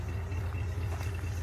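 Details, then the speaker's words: International engine with an out-of-box Holley carburetor, idling: a low, quiet, even rumble with no ticking or stumble, smooth like a sewing machine. A belt makes a little noise and the water pump may be slightly crunchy. "But listen to that thing just idle like a sewing machine, man. It's outstanding. Very, very little engine noise, especially for an international."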